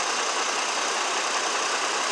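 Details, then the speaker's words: 2002 GMC Envoy 4.2 idling smoothly after replacing the bad cylinder 2 ignition coil that caused a hard misfire at idle; steady even hum, no stumbles. "Let's start it up and see how it was working. All right, everything's running fine."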